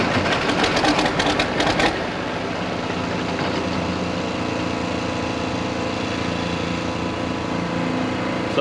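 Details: International 1086 diesel tractor after injection pump work, wide open throttle: it runs three or four seconds with uneven, skipping bursts and smoke, then cuts off as if fuel shut off. The owner suspects timing 180° out or air in the lines.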